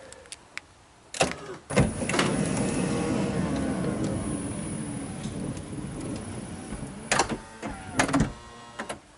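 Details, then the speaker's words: 2005 Honda Odyssey passenger-side power sliding door after rolling hinge replacement and cable reseating: a clunk on unlatch, a quiet even glide and a soft latch, with no scraping. Normal operation after repair. "slides like a dream. So excited."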